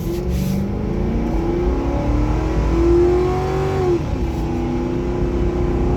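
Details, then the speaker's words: 2011 Ford Crown Victoria Police Interceptor, 108,000 miles, under hard throttle: deep, even V8 pull with rising revs and a clean shift near four seconds. Normal, healthy engine acceleration. "So I'm gonna hammer it here so you can hear it run out again, just because it's fun."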